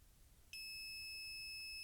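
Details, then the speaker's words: Bowens Gemini G500R studio flash that won't fire, display board; meter continuity test between ground and supply pins gives a steady beep at one to two ohms, a short on the board, possibly a broken LED shorted and blew the microcontroller, unconfirmed. "you see I've got two ohms or one ohm. So, there's a short on this display board and there's not much on the display board apart from a couple of transistors, the microcontroller."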